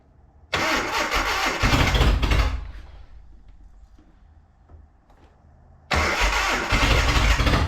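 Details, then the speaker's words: Datsun 720 King Cab 4x4 abandoned about 20 years, carburetor rebuilt, idle mixture adjusted, significant fuel leak: runs rough, stumbles low and picks up with throttle having almost no effect, carburetor flooding; rough running, throttle unresponsive, cause unconfirmed. "run throttle's having almost no effect which is weird but also that's totally different than we had yesterday"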